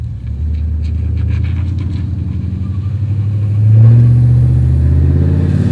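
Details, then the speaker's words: Cammed Chevy Silverado shop truck with a newly fitted transmission and a welded-posi rear end, trans fluid still slightly low, on a road test: the engine pulls steadily and upshifts through first, second and third normally, with no slipping or flaring. "First. Second. Third. Overdrive and drive might be a little hard to get to in town, but it's all good signs so far."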